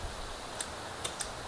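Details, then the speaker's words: Honda Valkyrie being revived after hydrolock, sitting since last spring, key on: a few sharp irregular clicks over quiet hiss with no cranking, headlight dimming; starter relay chatters without power, later traced to a loose connection, battery first suspected. "the front light's dimming so it's trying to start trying but it's not spinning the starter right which means that it's pulling amperage"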